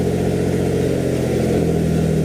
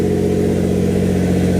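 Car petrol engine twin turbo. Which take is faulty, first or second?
first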